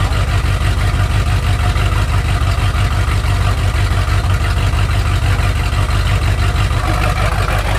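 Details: Lifted Bullnose Ford carbureted V8 running on its own for the first time after sitting almost 4 years, after a carburetor clean and tune; steady low, slightly lopey idle with no knocking or ticking, normal idle.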